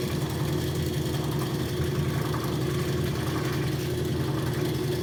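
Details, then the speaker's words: Used rotary vane vacuum pump, retrofitted with KF25 fittings and overfilled with oil, pulling vacuum on a neon bombarding manifold: steady, even low hum with no knocks or rattles; healthy and quiet under load. "but it's going. sucking down a vacuum. i like it. the pump down there... pumping. good job, pump."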